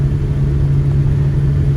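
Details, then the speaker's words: Long-sitting Buick estate car revived, choke wide open; deep steady drone and constant hum while driving, no knocks or misses; pulls smoothly, healthy acceleration. "nice and smooth i probably should roll that window up"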